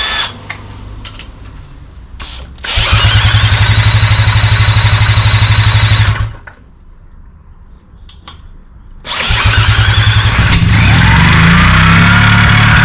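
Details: Sachs KM48 rotary engine for a drift kart, previously flooding and refusing to start: spun over with a drill, it catches with a fast, crisp buzzing run, cuts out, then restarts into a steady, strong idle; normal start-up.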